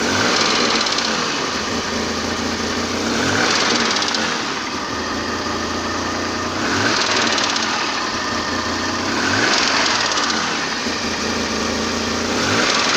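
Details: BMW M30B35 engine at idle: steady idle with a dull, fairly regular knock of roughly three to four per second, barely audible when cold; source undetermined.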